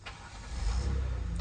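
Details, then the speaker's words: 2016 Kia Sorento 3.3 V6 after crankshaft position sensor replacement for P0335 and hard starting: brief crank catches at once into smooth, steady low idle without stumbling; normal engine start, no fault code. "Alright, started right up. So before it sounded like it was out of gasoline, but you keep trying it 2-3 times, eventually starts up."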